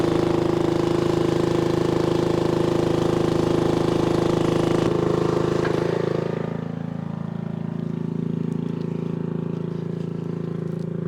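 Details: 1996 Brave log splitter, about 30 years old, revived after its engine had seemed to seize; splitting wood outdoors on a cold day, the single-cylinder engine runs steady, dipping slightly under load, with wind noise behind; healthy.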